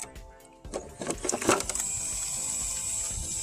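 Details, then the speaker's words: Arrma Talion EXB on 6S LiPo, stock metal-gear steering servo after steering was suddenly lost at a BMX track: a few sharp clicks then a thin, steady high buzz; servo failed, probably a stripped gear. "Looks like this servo just went kapooey. You guys can hear it too. So probably stripped the gear or something."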